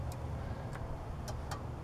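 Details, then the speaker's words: Riding lawn mower that won't start, troubleshooting the starter circuit: with the gear lever taken out of neutral, the safety switch gives sharp, separate clicks at uneven intervals over a low hum and the relay responds, so the switch works. "it's making a clicking sound that's the switch activating but is it functional turn it on and listen do you hear the difference in sound that switch is good"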